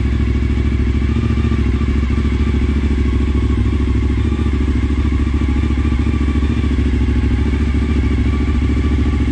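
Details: Suzuki SV1000S V-twin from insurance salvage, first start on jump-wired battery; deep loping thump at about three beats a second, no knocks or bangs: normal V-twin idle.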